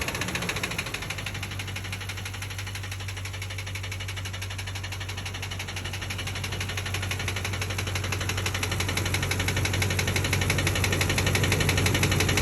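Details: 2004 Ford Expedition 5.4 Triton V8 idling with a faint, fairly even tapping knock after a spark plug blew out, before Seafoam and Lucas treatment; rod knock suspected.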